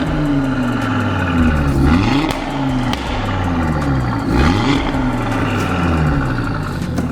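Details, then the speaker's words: Audi RS3 8V with a standard exhaust, before a Milltek downpipe install: revs rise and fall over a metallic clatter; the mechanic suspects a broken clip on an exhaust valve rattling as it opens. "I think we've got a valve issue, to be honest. I think one of the clips is broke on valves, because when you're revving it, it's opening and it's rattling like mad."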